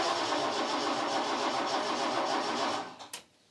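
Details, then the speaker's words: Chevette barn find unstarted for about ten years, cranking to fill the carburetor through the mechanical fuel pump: steady, fast cranking at about four beats per second, no firing. Coil connected; owner suspects a fuel issue. "Okay, something changed. If you heard that note change. Coil's definitely connected. I think it is just a fuel issue."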